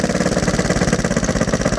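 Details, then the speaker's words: Rebuilt Honda XR100 single-cylinder, warm, idling with choke on: choppy uneven idle with exhaust popping, slight backfire; owner suspects timing slightly out or back pressure from the two-stroke exhaust fitted to the four-stroke. "There is a slight backfire, so the timing could be slightly out, but it could also be because I'm running this two-stroke exhaust on a four-stroke,"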